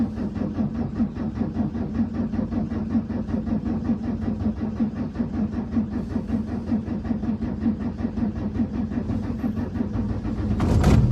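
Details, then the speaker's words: Volvo, warm engine, running about 150 hp: starter cranks steadily at about 2.5 beats a second for nearly eleven seconds before it catches. Owner blames a too-advanced fuel pump for the slow hot start; unconfirmed. "it's running 150 horsepower which means the fuel pump is too advanced which means when I try to start the car and there's people standing behind the car as well are you ready for this because when this car's warm it doesn't like starting"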